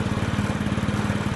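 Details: Honda Scoopy automatic scooter that wouldn't electric-start, tested via right brake switch (left brake switch faulty): small single-cylinder putters at a steady even idle, about twenty pulses a second, no knocks or misses; healthy.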